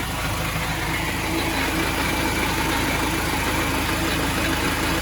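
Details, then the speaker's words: Vauxhall Vivaro 1.9 diesel idling and warming up after a PK5-to-PK6 six-speed gearbox conversion and clutch bleeding: rough, gravelly rumble with an uneven churning beat over the idle; owner suspects a worn main bearing in the gearbox, possibly why it was removed. "Can you hear the noise? That sounds like a main bearing in this box. Probably why it came out in the first place."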